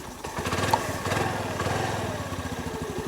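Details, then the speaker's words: Honda NAVI small single-cylinder scooter, cold start on manual choke: fires up and settles into a quick, fairly even putter with slight unevenness while warming; runs poorly if choke turned off yet. "So we just want to let it run long enough so that we can turn the choke off. If we turn the choke off right now, it just doesn't run that well."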